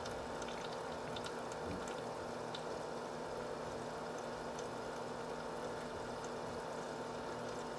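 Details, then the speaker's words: H220 liquid cooler pump near 2400-3000 rpm, reservoir fill cap pointing down: soft steady pump whir with constant gurgling trickle of water from air circulating in the loop, which eventually goes away; normal, no grinding. "i'm not sure how long this trickling is going to last but this is kind of something you'll hear a lot at least in this orientation and also with the reservoir fill cap pointing down which keeps probably keeps the air circulating"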